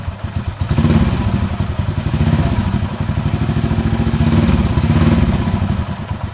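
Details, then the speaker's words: Honda Astrea Grand single-cylinder idling after its loose valve clearance, which had caused a rhythmic rough noise, was readjusted: even, regular thump with no ticking; smooth again. "sudah ya ini suaranya sudah halus kembali"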